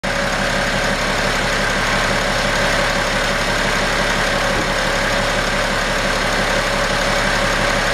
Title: 2011 BMW X5 35D bad idler pulley.